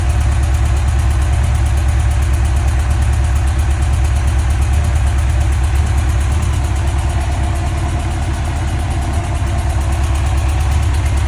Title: 2005 Yamaha fjr1300 ticking noise